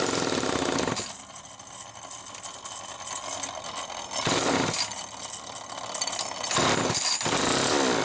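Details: Homelite XL-2 chainsaw after air leak repair, air filter cover refitted: catches and runs with sharp rev bursts between lower steady running, picking up cleanly without stumbling; runs as it should.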